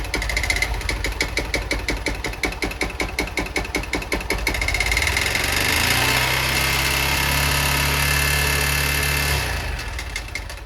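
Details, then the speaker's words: Honda Bros 160 motorcycle gives a hard, regular knock about three times a second at idle, smoothing when revved; the owner suspects a piston hitting up near the head and expects to need a cylinder and piston kit. "aí pega a visão do barulho que está fazendo no motor galera parece ser um pistão batendo aqui em cima no cabeçote não parece ó"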